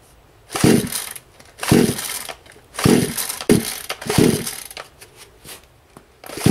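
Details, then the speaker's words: New Anbull chainsaw, first start with foot in the pad: about six scratchy recoil pulls, one a second, then a faint cough as fuel is drawn through lines, filter and carburetor; normal first-start priming. "oh did you hear that it finally coughed so it's pulled all of the gas through the gas lines and filter and everything and up to the carburetor and that was it just coughing acting like it wanted to"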